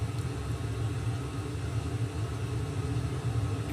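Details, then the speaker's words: Sony STR-313L receiver with no signal playing: deep constant roar appearing when heated, traced to noisy first-stage preamp transistor Q501, to be replaced. "you're getting deep a roar now there's pretty sure it's that transistor that you hear if you tap it"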